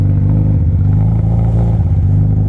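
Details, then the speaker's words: Yamaha R1 (5PW) with Coffman slip-on, servo delete and K&N filter, engine still warming up: low, uneven, lumpy stumbling idle. Rough idle; owner suspects the idle needs turning up. "It's idling. Yeah, it's idling like shit."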